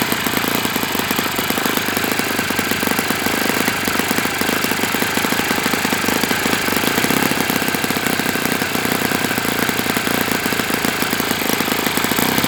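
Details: Enya 46-4C four-stroke model engine on a test stand, 11.5 prop, air bleed opened 1/4 turn: fast, busy run with a dry, rattly hammering over the firing note, sounding loose inside; owner suspects it needs new bearings.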